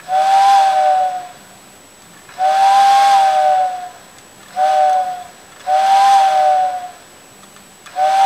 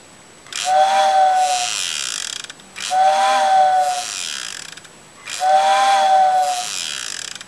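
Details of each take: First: Vintage TYCO steam locomotive whistle after its original motor was replaced with a can motor from a CD player and further reworked: clean, steady whistle blasts that start and stop crisply, no more vibrating noise, motor faintly audible; whistle works properly. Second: Vintage Tyco steam locomotive whistle fitted with a replacement can motor from a CD player, after resoldering and gluing back together: three whistle blasts, clear mid tone over airy hiss with a buzzing rattle; works, but the motor vibrates, not a total success.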